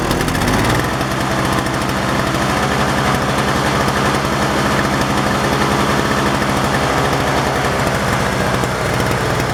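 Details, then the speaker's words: Toro CCR 2450/3650 two-stroke snowblower after carburetor cleaning and replacing bad oil-gas mix, choke off. It holds a steady, even buzz at full throttle with no surging or dying; running properly. "all that's it all right it's running good now that's it I guess it's all cleaned out"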